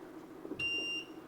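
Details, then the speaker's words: 6.5-liter ultrasonic parts cleaner while setting the temperature to 60 °C: a single clear high half-second beep after a button press; normal confirmation tone. "We can set the temperature. That's a lot of beeping."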